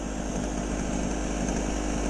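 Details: Small two-stroke generator, sat unused in a shed for years and never run before: buzzing along at a steady speed with no misses, surging or rattles; running normally.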